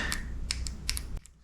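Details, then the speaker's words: 2002 Chevy Blazer 4.3L V6 Vortec transmission shift solenoid, bench-tested off the vehicle with 9V in both polarities: several sharp, crisp, positive clicks each time, showing the solenoid works normally. "works both ways. That one clicks good, too."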